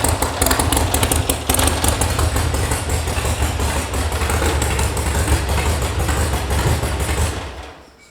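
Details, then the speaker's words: Air-cooled VW sand rail reported as a non-runner, at first start: loud, uneven, low chuffing idle with irregular stumbles, with all cylinders firing. It runs but sounds rough and in need of a tune; the cause is not confirmed. "That clearly ran. Sounds like it needs a tune."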